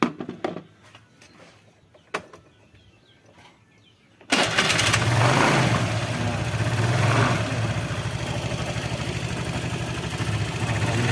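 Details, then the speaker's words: Honda Vario 110 carburetor scooter that won't start in the morning, after new vacuum hoses and new choke: catches at once on starter and settles into steady even idle; fixed for now, unsure about tomorrow. "Sekarang sudah sembuh, tapi nggak tahu besok."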